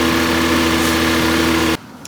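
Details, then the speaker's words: Alfa Romeo 90 first start after 22 years standing, totally cold engine and exhaust: steady, even idle with smooth low hum, no stumbles or knocks; later, when warmer, misfires and swimming idle appeared, possibly old fuel. "there we go it's even - oh my goodness it's hiding okay great then I let it run a bit to warm everything up from standing that's good but it's running"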